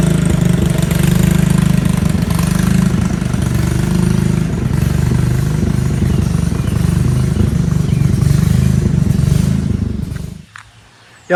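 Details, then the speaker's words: Riding mower/tractor single-cylinder engine, run on a jumper pack after the battery read only 9 volts: uneven chugging with speed dips, dying out near ten seconds after running well briefly; hesitation and stalling; connecting rod not blown, cause unknown. "So this is as far as I got it, and then it just started hesitating and crapping out and just stopped. And it goes really, really slow."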